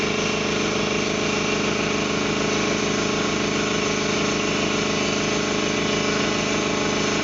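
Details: Ingersoll Rand T30 2475 upright air compressor, 7.5 hp, 80-gallon tank, set at 175 psi: steady, even pumping chug with constant hum, no leak hiss or knocking; runs healthy.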